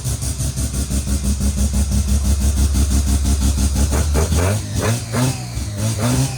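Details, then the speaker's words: Naturally aspirated rotary (Wankel) engine starting readily: smooth, even rotary buzz at idle rising cleanly with throttle blips and settling without misfires; healthy running. "Wow. And it starts so well. Nice, eh? Beautiful. Yeah, if mine sounds like that, I'll be happy."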